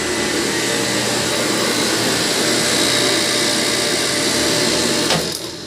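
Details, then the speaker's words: Motor pump (pump 2) after repair, replaced leaking part that was seeping oil, tested on manual then auto with both breakers on: even motor drone holds steady then cuts off cleanly, no grinding or squeal; normal running. "Okay na po. Gumana na po siya."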